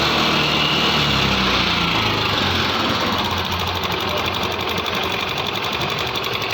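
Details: 2021 TVS Jupiter 125 BS6 scooter at idle: hard, fairly regular tick about four a second over a rattly engine note; abnormal engine noise, cause not stated.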